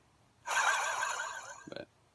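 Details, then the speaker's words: Removed AC compressor from 2002 Hyundai Santa Fe 2.4L, turned by hand: harsh gritty growling rasp then clunks; clutch wasn't engaging fully and compressor began growling; internal failure, replaced with Denso unit. "the clutch wasn't engaging fully obvious that he was still spinning but the clutch wasn't engaging and it started to make a growling noise"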